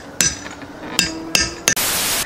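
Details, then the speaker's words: 1971 VW Karmann Ghia front disc brake and drop spindle upgrade, tapping a hub bearing race in with a slightly smaller socket: four sharp hammer blows with a dull, hollow ring rather than a light tink; the race is not yet fully seated. "the tone of it will change it'll go from from a kind of a hollow sound to a light tink tink sound when it's bottomed out"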